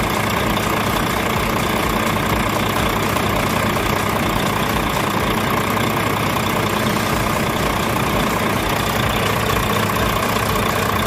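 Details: Volvo truck diesel after fixing a crank-but-no-start hard starting fuel system problem: settles into a steady, even idle clatter with no stumbling or hunting; running fine.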